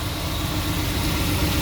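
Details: 2001 Nissan Pathfinder 3.5 L V6, high mileage, just after an oil change with 5W-30 conventional oil: steady, even idle with a smooth low rumble and no knocks, ticks or misses while checking for leaks; none found, healthy engine.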